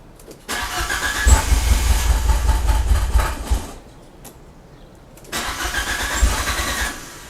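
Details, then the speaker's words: Fiat Panda with swapped Abarth Panda Turbo T-Jet engine: two roughly three-second bursts of low chugging cranking with no clean catch; owner suspects fuel pressure though plenty of fuel is present; one fault code showing. "if I didn't know better I'd say it was fuel pressure definitely plenty of fuel there"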